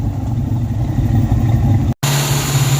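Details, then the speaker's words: 1994 Mustang GT convertible idling at about 1,800 rpm on its own. With timing set at 10° and the timing chip reinstalled, the idle shot back up. A constant fast drone that never settles. A vacuum leak is suspected but not found; the throttle body idle setting is misadjusted. "It is now reliably starting and idling, but it's idling insanely high. It feels like we have a vacuum leak, but we can't find it."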